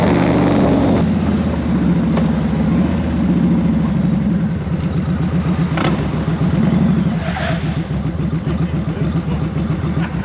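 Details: 1999 Yamaha Road Star 1600 V-twin, after fixing lean pop and rough idle, warming up around 40°F: loud, lumpy, steady even idle with no pops or stumbles; healthy.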